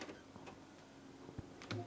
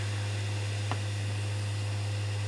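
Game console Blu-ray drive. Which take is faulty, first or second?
first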